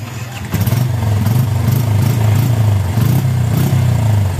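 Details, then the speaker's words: Yamaha Bison motorcycle, hesitating as if fuel-starved on first pull. Revving gives uneven running with sharp irregular pops and backfires, black exhaust smoke and then white smoke; the carburettor was stripped and re-set. "Saya nyalakan Nah itu meledek-meledek dan ada asap hitamnya Nah setelah asap hitam muncul kembali asap putih Nah seperti itu suaranya pletuketuketuketuk"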